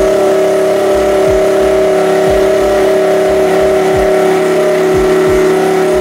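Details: Honda Sonic motorcycle after replacing a regulator/rectifier (kiprok) that failed after over a dozen years with a new larger-finned unit: an even, steady engine note with a constant hum and brief dips at blips, with no knocks or misses, so it runs healthy.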